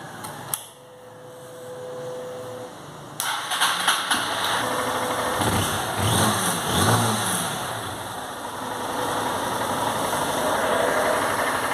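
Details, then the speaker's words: Fuel-injected motorcycle with intermittent misfire, weakness and flashing injection light (code 23) after the fault was fixed: a few quiet clicks, then it starts and settles into a steady, even idle. "aí galera funcionando perfeitamente beleza conectado aí os fios como vocês podem ver o modo de in gão mesmo beleza e agora galera funciona perfeitamente"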